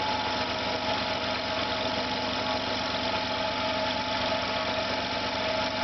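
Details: Failing air compressor on second start, motor smelling of burnt plastic, hose hot: steady buzzing motor with uneven, rough hum and faint rattle, starting to vibrate, not running smoothly; pressure stops rising and motor slows; owner believes motor is damaged.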